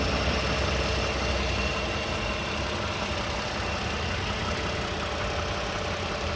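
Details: 2015 Toyota Sienna SE with 71k miles idling: a steady, dry, diesel-like clatter over the petrol engine hum; the owner asks what the rattle is.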